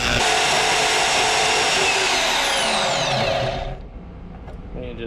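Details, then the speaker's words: Portable bandsaw (Portaband) cutting a steel bolt held in a vise: steady rasping cut with a faint catch about four times a second, then it stops; a damaged section of the blade is skipping and cutting slowly, and the blade is judged worn out. "I don't know if you guys heard previously when I was using the bandsaw, it's definitely got a bad blade on it. It's skipping a little bit. It's got a section of the blade that's just no good, so you'll hear that right here as well."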